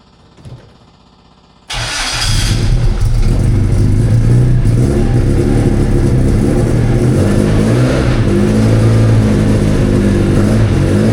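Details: Freshly rebuilt Classic Mini race engine, final drive changed, before its first test session; catches quickly, lumpy even race-cam idle with clean rev blips, no knocks or rattles; runs healthy.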